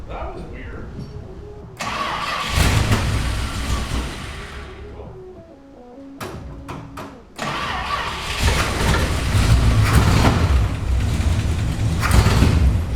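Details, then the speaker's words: Barn-find Mopar Plymouth Belvedere V8, sat about a year, fuel filter just fitted, no starting fluid: cranks briefly, catches quickly into a steady even burble and restarts cleanly; surprisingly easy start, healthy engine. "you know i'm very surprised actually it started up that easy yeah she sounds good"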